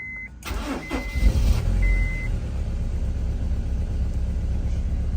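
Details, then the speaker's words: Honda S2000 at 176,000 miles starting after a warning chime and idling with an uneven, stumbling beat. It has a check engine light, three misfire codes and an air temp sensor code, and misfires badly. "here I stumble listen to it idle so of course we've got a check engine light we've got 176 000 miles already verified it it's got three misfire codes and an air attempt sensor code"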